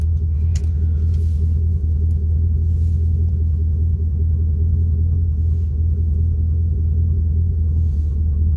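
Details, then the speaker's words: Chevy Camaro with StabiliTrak warning, codes P0174, P0202, P0302: a deep idle rumble with an uneven stumble two or three times a second, a cylinder 2 misfire from an open injector circuit, bank 2 lean (passenger side). "i got a injector circuit open so on cylinder two and a misfire that's under two okay"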